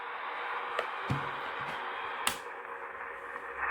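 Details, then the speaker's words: General Electric 18-channel 3-5825B AM/SSB CB radio after cap, crystal, VCO and solder repairs, on channel 1 (27.015 MHz): steady receive hiss with sharp, irregular clicks and a pop. Clicking on receive is not yet diagnosed. "we can hear the clicking noise and we'll go through and look at that at another time"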